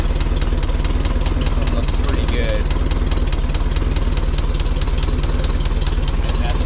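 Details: 1961 VW Beetle air-cooled engine idling with new stock steel pulley replacing a wobbly aluminum one, stainless bolt and new 905 belt, 5/8 inch deflection: steady even idle at about four beats a second, no squeal, tick or rattle; healthy.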